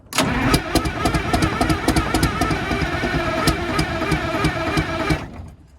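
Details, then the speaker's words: Detroit Diesel 6V92 bus engine, cold start: steady fast cranking with occasional sharper firing pulses as one cylinder starts catching. Not yet running. "So now we're starting to get like one to fire."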